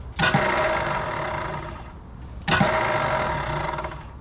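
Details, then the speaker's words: 1966 Mustang off the road since about 1987, after fitting a new solenoid: sharp click as the Bendix now kicks out, then a free whirring spin with no cranking; suspected starter not engaging the flywheel, unconfirmed. "I can hear the Bendix clicking out which it wasn't doing before bad solenoid I can hear the Bendix kicking out is there like is there no flywheel in there"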